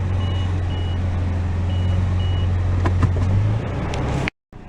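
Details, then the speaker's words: Toyota FJ Cruiser in reverse, two rear-bumper park assist sensors: four short high beeps in two pairs over low idle, normal backup warning that goes solid when close. "That what you're hearing is a backup buzzer. It lets you know if you're getting really close to something."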